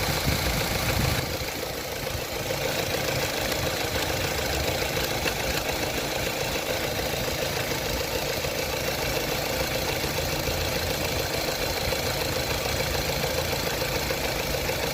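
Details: Opel Astra H petrol engine at idle with a light, fairly regular clicking over the steady run; the throttle body is suspected as the source, not confirmed.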